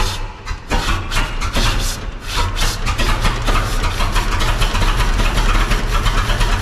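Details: 1926 Seagrave city service ladder truck, 1013 cu in "F" six-cylinder, first start in at least 10 years after long storage, only battery and carburetor fuel added: low lumpy idle with dropped beats, missing on one or two cylinders.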